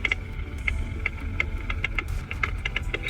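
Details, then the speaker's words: Audi Q7 with air suspension, road-tested with vibration sensors on the left, the strut brace and the right. Sharp irregular knocks over road rumble come clearly from the right shock absorber; the strut brace is silent. "Ну, тоже отчетливо слышно, что включить амортизатор. Хорошо, прям слышно."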